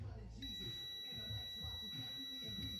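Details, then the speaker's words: Bench test of a Link G4x plug-in ECU for a JZX100 1JZ-GTE non-VVTi, with no engine running: the multimeter gives a steady, unbroken continuity beep. The fan relay output appears to stay grounded even after it is switched off in the software; cause unresolved. "I take it off and it's still beeping and then it reads like 21 molts or something weird, bro."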